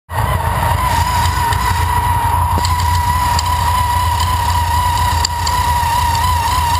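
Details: TVS2300 running with a strong, steady whine and a light, irregular ticking knock riding over it. The owner suspects a bearing going out, but this is unconfirmed. Finding: knocking noise.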